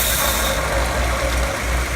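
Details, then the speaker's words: Ford Thunderbird V8 on a frame-off chassis, test-fired with the coil hot-wired and fuel hanging from the ceiling; deep, steady rumble with an even beat and no knocks or misses. Normal healthy idle. "Yep. That's what you want to hear. That sounds really nice."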